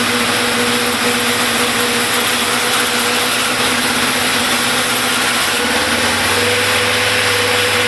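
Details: Big One bike engine at 95,000 km, idling without choke; busy, uneven metallic clatter over the engine with a brief pitch dip near the end; suspicious noise, source unclear.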